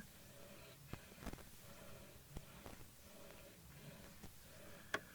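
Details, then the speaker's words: Analog mixer fader moved over quiet program audio gives irregular sharp pops and crackles: dust or dirt on the fader contacts, before cleaning. "stepping some crackling going on listen to that that's what we're talking about that's a dirty dirty fader right there display some dust or just little something in there"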